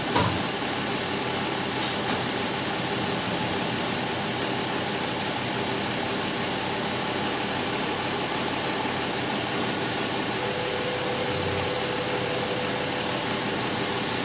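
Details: 2005 Chrysler Pacifica 3.5 L V6 idling in park: steady, even idle with no knocks, whine or rhythm changes under a constant airy hiss, normal engine; car has an erratic speedometer from a failing alternator inducing AC voltage into the speed sensor.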